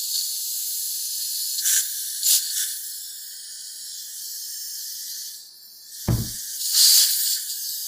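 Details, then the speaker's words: Lexus IS300 turbo intake manifold pressure test at 25 psi shop air with ID1700 injectors: steady high hiss, changing when pressed; number six injector not sealing, boost leak. "yeah this number six injector is not sealing properly it's already at 25 psi you can hear it change just with my a little bit of extra force"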